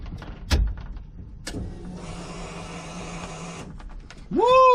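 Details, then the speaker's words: Honda K24 engine swapped into an EG chassis, during a no-start diagnosis: the electric fuel pump gives a steady low hum for about two seconds, then stops as fuel pressure rises; normal fuel pump priming. "I can hear the fog pump running listen to that pump listen to the pump guys"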